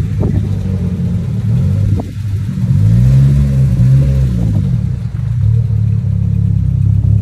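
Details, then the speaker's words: 800 hp Evo under hard acceleration after the rear diff was replaced: deep drivetrain drone with a rising-then-falling whine that persists; the rear diff is ruled out and the transfer case is suspected. "so guys after after changing the rear day as you can as you can hear it's still making a lot of nice so obviously it's not the Rarity"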